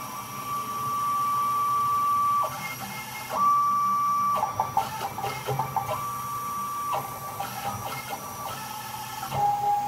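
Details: Small CNC router modified with lead screws, axes jogging at around 1,800 (800 mm/min also stated) with the control board loose on a metal box: clean stepper whine changing pitch as each axis starts, reverses and stops. No grinding; healthy motion.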